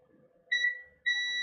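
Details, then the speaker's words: Defective garage door opener control board tested in multimeter diode mode, red probe to ground: clean high-pitched beeps, the second held steady, show two capacitors below the main chip are shorted, each to a different chip pin. The main chip is suspected shorted. "I'm going to use diode mode so you can hear the shorts. red probe on a ground and there's this cap here shorted and this cap here shorted."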